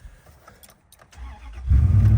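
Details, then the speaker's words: Dodge Dakota pickup with the check engine light on, still shaking hard with a misfire after mud was wiped from the connectors and cam position sensor; starter whirrs, then a lumpy, uneven idle rumble. The cause is not confirmed. "yeah this thing's still shaking like crazy it's still a misfiring okay so cleaning those things out didn't work"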